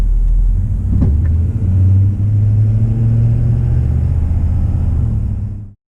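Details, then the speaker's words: Trailer Saver BD5 air ride fifth-wheel hitch in Ford truck bed, driving: low road rumble with single sharp clunk on braking and accelerating; Ford found nothing, cause was loose hitch adjustment nuts. "moving forward, we would hear a clunk, and then when I'd put the brakes on, we'd hear another clunk."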